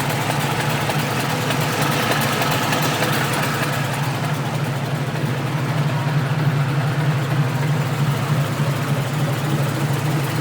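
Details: Exhaust leak recorded from outside the car at idle: steady rough, puffing exhaust note.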